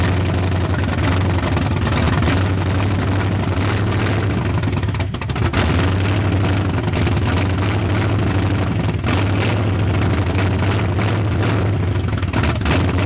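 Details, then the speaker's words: 1981 Mustang 302 5.0 V8 with automatic, parked nearly 30 years, running on 14-year-old oil with nearly 50 psi oil pressure and no radiator: deep, even idle with smooth steady beat, no knocks or ticks; sounds tight, like a low-mileage engine. "She's tight. It sounds like a fairly new engine."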